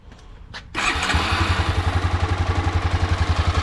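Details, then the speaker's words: 2006 Honda CBF 250, about 44,000 km, after timing work with the tensioner set: single cylinder starts quickly and idles evenly with no knocking; it knocked before the repair. "ładnie. Nic nie stuka, nic nie stuka."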